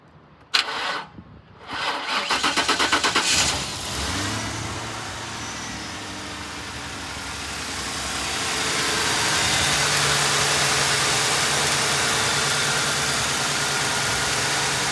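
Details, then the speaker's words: 2010 Ford Crown Victoria Police Interceptor, 91,56 original miles, 4,658 engine hours, suspected bad fuel pump, started with fuel poured into intake: brief cranking catches into steady even idle, no knocks or misses; engine sounds good, normal start and idle. "Engine sounds good. I can't rev it up, but you could hear the engine sounds good."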